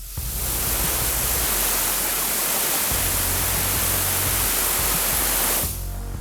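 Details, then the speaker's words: All American 921 pressure canner on high heat, raw-packed chicken; loud, constant hiss of steam escaping the vent for several seconds; normal venting, canner ready for the weight to be put on. "so you're just hearing that Sheamus starting steam is starting to escape the pot and it's gonna sound like that"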